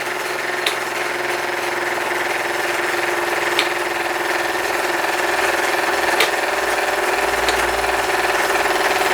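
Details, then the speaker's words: Small steam engine driving a generator, with low-current filament lamps switched on: quick, even chuffing at about four beats a second over a steady whine, audibly heavier under the lamp load. Voltage rises from about five to eight volts as the lamps go off; running fine. "can hear the load on the bowmen as iong as I do turn the lamps on though very definitely is making a difference"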